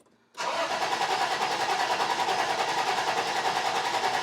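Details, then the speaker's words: 1991 Toyota 4Runner that sat nearly 10 years, cranking with compression gauge in cylinder 1; starter turns engine evenly about three beats a second without catching, healthy compression, valve timing probably correct. "okay so it's building compression i would say your valve timing is probably correct"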